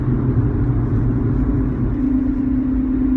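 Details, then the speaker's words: 2001-2005 (7th generation) Honda Civic, bearings over 400,000 km, driving at about 50 km/h: a steady low howl over the road rumble from a worn rear wheel bearing, loud between 50 and 80 km/h. Fixed by replacing both rear hub bearings. "I'm B basically um driving right now on a side road and you can sort of hear that bearing making sort of howling noise I'm going about 50 km an hour right now"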